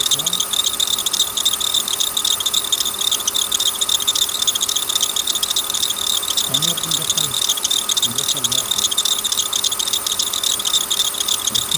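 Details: Engine idling with a fast, tinny rattle of about three to four beats a second as the belt slips off its track at the tensioner; pulley already replaced without success, so a bad belt tensioner is suspected.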